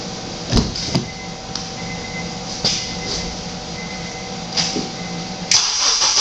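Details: Car with a dead battery jump-started at 80 amps: a few sharp clicks and a brief crank, then the engine catches and settles into a steady run. It is starting normally.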